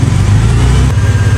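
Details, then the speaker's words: Mercedes-Benz engine running before repair: faint thin whine riding above the low rumble, traced to the alternator and louder when revved; alternator noise. "发电机出来的，是发电机是吧？"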